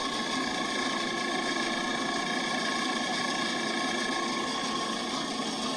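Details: Walk-in freezer condensing unit with new condenser fan, head pressure around 93, box at 12 °F; smooth constant compressor hum and fan whir with no knocking or rattling, running normally.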